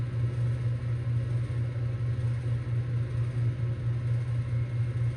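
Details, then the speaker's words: 2024 Bryant heat pump in heating mode, about one minute after first start: a deep steady compressor growl with a slow throb of about 1.5 per second and rattling that fades slightly; the owner wonders if something is loose inside. "It's still growling though. Is all this bro loose inside?"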